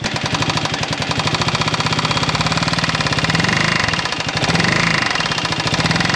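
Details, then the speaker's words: Buggy engine at idle after revving, which sounds bad: fast, even hard knocking locked to engine speed. Source can't be located; the oil was very silvery when the alternator cover was off, so the owner suspects the cylinder or piston. "ich kann aber bei aller Liebe nicht zuordnen woher das Geräusch kommt"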